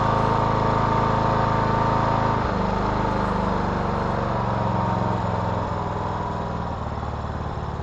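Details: 2014 Troy-Bilt Bronco 13WX78KS011 mower, Kohler 17 HP, idling after a new HiPA carburetor replaced the one with the malfunctioning fuel shut-off solenoid that caused a no-start. Steady, even low thump with no misses or surging: healthy idle.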